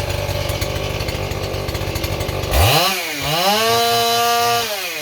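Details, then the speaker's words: Stihl 028 chainsaw with blowback, after new crankshaft seals and a carburetor rebuild: rough buzz jumps to a high wavering howl that hangs, running away lean; owner suspects an air leak at high rpm behind the carburetor or intake boot, or the carburetor. "the problem is as you can hear the saw wants to run away and so that means that high RPMs it's starting to suck air somewhere and it can't get tuned in right"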